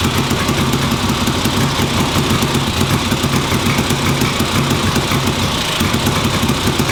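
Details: 1958 Ariel Huntmaster 650 twin motorcycle, run on the bench after recent purchase: settles into a steady, even idle with a regular low thump and no misfires or stumbles; running properly.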